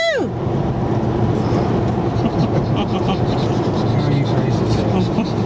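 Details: 2001 Volkswagen Jetta on an interstate test drive after installing new rear shocks, coil springs and suspension parts: steady road rumble at cruising speed, no clunks, knocks or rattles from the rear; rear suspension quiet and normal.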